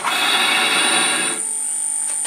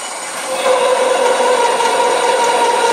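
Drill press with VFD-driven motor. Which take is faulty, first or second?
first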